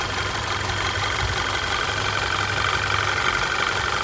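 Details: Audi Q5 2.0T TFSI after engine replacement (old engine destroyed, rods knocking), driven a few miles: quiet, even idle with light fast injector tick and no lifter clatter; normal healthy sound once lifters build oil pressure.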